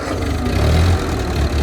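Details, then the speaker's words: Ford tractor, not run for a while, fresh battery fitted: fires after two turns and idles with a steady, even low rumble, no knocks or misses. "Y what was that two turns fired up perfect"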